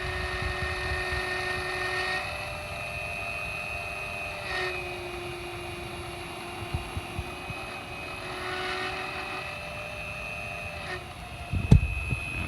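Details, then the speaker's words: Steady high whine with several tones that dip and recover over a few seconds, coming from a second motor rather than the one shown earlier; abnormal motor whine, cause not identified. "this one that's the sound that this motor makes this motor does not make that sound that's this motor sound"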